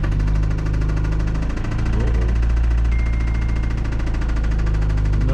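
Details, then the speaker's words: 2004 Toyota Celica GT, 185,000 miles, found about two quarts low on oil, cranked after topping up: a heavy, deep knock each revolution over a rough idle, with lighter valve tapping underneath. Rod knock; the engine is likely finished. "not good that's pretty much exactly how I expected it to sound maybe a little more of a rod knock and a little less valve train noise but she's definitely a tapping and somewhere right in this area"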